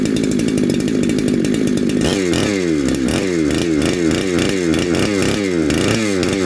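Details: Neo-tec NH872 chainsaw (372XP clone), big bore, first start and heat cycle: holds a high whine, blips repeatedly, picking up and dropping back cleanly without stumbling; running healthy.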